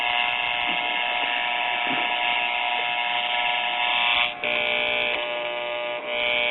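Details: RCA Victor model 96T4 1939 tube radio, with the band switch being set to standard broadcast. A loud, steady speaker buzz dips briefly in tone.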